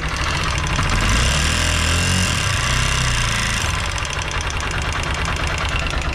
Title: Apache RTR 160 4v bs6 Tik Tik engine sound problem